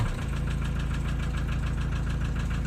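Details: Diesel at idle with an intermittent knock, hot or cold. Owner first suspected a turning valve shim, adjusted the valves, then wondered about piston pin or rings; knock persists: sharp regular metallic knocking several times a second, piston slap.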